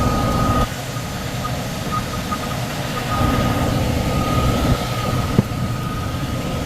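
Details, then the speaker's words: Furnace unit, call for fan not turning on, heat mode: steady loud drone, thin constant tone, shaky rumble; blower vibrating. Tech suspects overamping and shutting off, bearings sound clear but loud on startup; will check rated amps and capacitor, cause unknown. "Shaking too. Let's see if we can see the rated amps for that motor."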